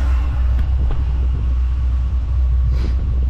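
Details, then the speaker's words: Newly fitted diesel heater in a Peugeot Partner micro camper, heard underneath: deep steady rumble with soft even exhaust pulse, a bit loud but running normally. "now I can hear the pumps kicked in it's allow the fuel through now it's reached temperature"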